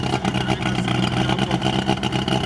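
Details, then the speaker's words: LuAZ off-roader started at 7:30 am after failing to start overnight following a water crossing, water blown from exhaust, still cold; stumbling, surging idle with irregular dropouts, owner suspects electrical misfire, cylinders not hydrolocked, expects improvement once warm. "нет, работает. Просто по электрике пропуски есть. Цилиндры ровно работают все, его не колбасит."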